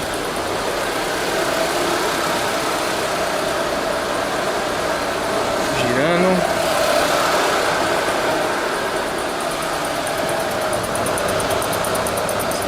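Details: 2013 Nissan Livina 1.6 16-valve K4M at idle with the AC switched on; a steady, even low hum with no stumbles and a brief chirp midway, so the idle is smooth and healthy.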